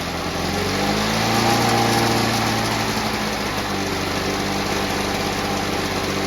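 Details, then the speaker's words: Victa Mustang 2-stroke mower rebuilt from junk with a Powertorque engine, fresh two-stroke fuel, first-pull start; bright buzz at steady, even speed without sputter or surging; ignition kill wire not yet connected; healthy, clean running. "how good is that folks first pull I couldn't shut that down because you probably noticed that I didn't actually set the ignition wires into the carburetor"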